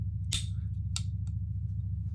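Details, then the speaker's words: Pietta Colt 1860 Army cap-and-ball revolver after fitting a new hammer to fix a broken cam, in a function test. Two sharp clicks as it cocks and locks to full cock, with the bolt back up. Normal cocking action. "And now the bolt is back up. Trigger. That's exactly how this thing should work."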